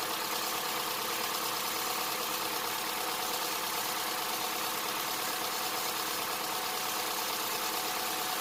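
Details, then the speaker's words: 2007 Honda Accord, just started after timing chain replacement (Melling kit) and valve adjustment, before warm-up and oil change: steady, even idle with a fine light tick, no knocking, rattle or chain slap, no check engine light; normal idle. "Sounds good, no check engine light. We'll get it up to temperature and we'll change the oil."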